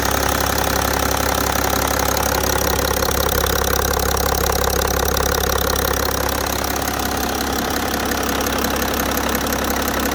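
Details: BMW E60 530d with M57D3 diesel at idle: steady, fairly even knock about two or three a second riding over the rumble; owner finds the sound wrong, cause not yet traced. Engine knock.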